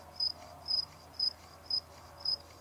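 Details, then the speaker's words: 12 VDC FanTastic RV roof vent fan, about 4 years old, motor removed and run on the bench: sharp dry squeak repeating about twice a second; sealed motor has no lubrication ports, bearing suspected, owner plans to work silicone in. "I don't see any lubrication ports definitely that's the squeak you can hear there we go can hear that squeak"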